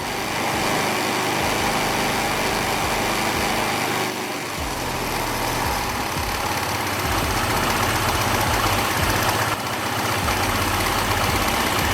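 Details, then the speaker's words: NIBBI carburetor on a small carbureted bike engine, idle speed screw turned clockwise to raise and counterclockwise to lower idle, read on a tachometer. Steady idle rises and falls between high and low. Recommended about 1,400 rpm on scooters, 1,600–1,700 on dirt bikes. "Turning the idle screw clockwise increases idle speed. Turning it counterclockwise decreases idle speed. Let's listen to what high idle and low idle sound like."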